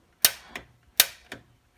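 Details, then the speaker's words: Rheem gas water heater after chamber sensor and gas control valve replacement, control set to pilot and held in: crisp dry piezo igniter snaps about every half second, loud then softer, each clean; igniter sparking properly. "put it on pilot press it in and hold it and then i generally just press this button a few times"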